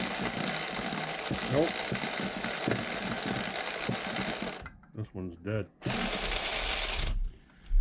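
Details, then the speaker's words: Vintage nitro RC engine (OS tagged) with more compression than the HPI engine and a hot, working glow plug. Buzzy starter cranking for several seconds, a pause, then more cranking; it never catches. "I don't know why it's got more pop than that HPI engine does guys but it doesn't want to start up it will not fire over it won't even hit and the glow plugs hott"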